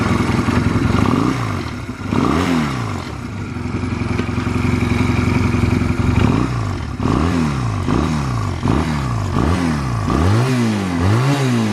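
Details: Stored Honda Rebel 250 Special (MC13) in a start-up and operation check, blipped repeatedly: a clean exhaust note rising and falling smoothly with the throttle, no knocks or rattles. No abnormal engine noise.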